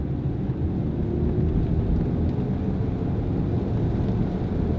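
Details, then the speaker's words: Volkswagen GTI with a four-speed electronically controlled automatic transmission, on a road test at 40 mph and about 1300 rpm: even road rumble with no flare or slipping. It shifts properly through all four gears without sticking in any gear. "three four we're going 40 miles an hour just going about 1300 rpms that's totally normal it's not getting stuck in any gear"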